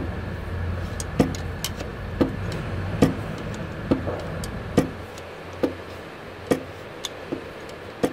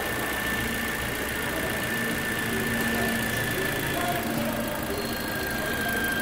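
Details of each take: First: Toyota Corolla with an engine rebuilt by a previous mechanic: sharp irregular knocks about once a second at idle from the crankshaft, with play at the crank pulley. Cause inside is uncertain, possibly a bearing or a dropped thrust washer. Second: Toyota Corolla on its first start after an engine replacement: steady, even idle with a faint high whine from the belt side and no knock or stumble. The engine runs very well. Normal idle.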